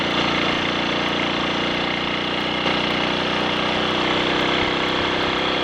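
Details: Triumph Sports Cub single on a road ride after fuel tank cleaning for fine rust and a projected-nose spark plug: loud steady drone under wind noise, no cut-outs; rider notes slight hesitation at half to three-quarter throttle, suspects crud on the carb needle.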